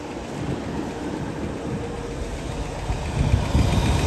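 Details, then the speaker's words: 1967 Lincoln after installing new carburetor with driver-side inlet port drilled out: even low V8 burble at warm idle, steady rhythm, no misses or knocks, wind on mic; runs smooth. "very pleased it's uh pretty smooth"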